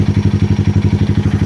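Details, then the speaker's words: 2020 Honda Grom 125cc after ECU and TPS resets plus 5-minute idle relearn, recommended after exhaust change: even idle thump about eleven pulses a second, equal beats, no misses; much smoother, healthy idle. "I don't want to drag this video forever, but anyway, I'm gonna leave this for 5 minutes to relearn again all the sensor, and the engine will be running nice and smooth."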